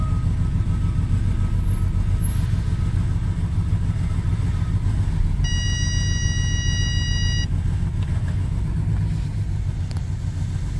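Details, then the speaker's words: Mercedes W212 E300 cold start: engine shakes with heavy, uneven low rumble and slightly shrill roar, stalls on gear change, normal after about 10 minutes warm-up; rough idle from intake manifold leak, plus variable intake flap stuck closed. "Động cơ hiện đang gặp rắc rối nghiêm trọng. Tôi cũng có thể nghe thấy một tiếng gầm hơi the thé."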